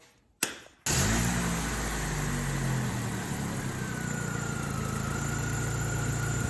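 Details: Chevrolet Malibu after P0300 misfire on cylinders 2 and 3 (compression 180 psi, passed), coil pack replaced: short crank, then smooth even idle with steady low hum and no stumbles; normal idle after repair.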